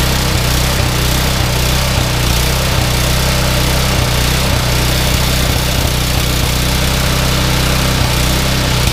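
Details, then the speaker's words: Yardman 21" snowblower 31A-285-452, 5 hp Tecumseh, sat for years, started using the primer: even, steady small-engine drone with no misses or surging. Engine good; auger (tine) assembly does not engage. "engine is good but the uh snow blower the tine assembly does not engage"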